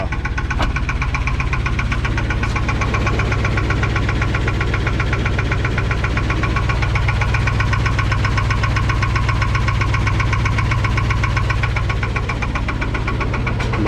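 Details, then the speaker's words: 1984 Chevrolet K30 1-ton 454 big-block, parked a couple of years and just revived; steady deep bottom-end knock about four per second over a rough idle, oil pressure about 7.5 psi at idle. Rod knock suspected, not confirmed. "to the rod knocking not quite fast enough you guys want to hear it if you can't right now well we're at you know 7 and2 lbs of oil pressure at idle"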